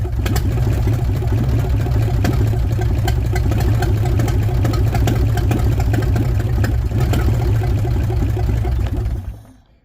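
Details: Willys Jeep, forgotten and sitting for many years, fed gas poured into the vent before the fuel pump is hooked up. Old four-cylinder catches and chugs steadily about nine seconds, then dies. Engine running after long storage.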